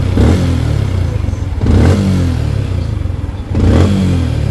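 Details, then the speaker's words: Sniper 155 at 6747 on the odometer, formerly ticking, after a tune-up and a replacement manual cam chain tensioner: three clean throttle blips rise and settle smoothly with no tapping or chain rattle. Valvetrain now quiet. "Ito na ang ating ginawa tapos na y h na siya maingay mga boss tapos ng tune up pinaka palit ng tensioner manual so Gan lang simple lang pero malaking bagay kasi tahimik"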